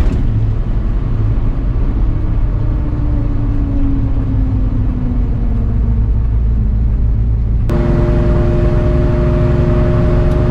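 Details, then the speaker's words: Moser 12-bolt rear end with US Gear Lightning Series 3.91 ring and pinion, about 2 years old: steady loud howl over road rumble at cruising speed despite a good gear pattern; rear differential gear howl before replacing gears. "the differential has made noise, a loud howling sound that's very obnoxious and very annoying."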